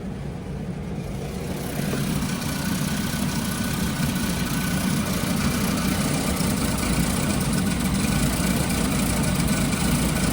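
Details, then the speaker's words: Car at a Japanese auction, 3-speed automatic: uneven, loping idle that sags and recovers; the AC compressor load causes the roughness, confirmed; AC blows cold. "AC does blow cold. Is it the AC that's making it do that? Yeah, it is the AC."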